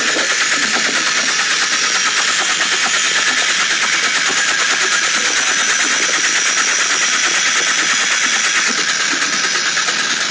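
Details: Porsche 911 Carrera 4 (late 996) with about 2 months and 2,000 km of noise that faded off-throttle, first suspected as the fuel pump: rapid, even ticking of about three per second over a hissy idle. Internal engine fault that ended in an engine replacement.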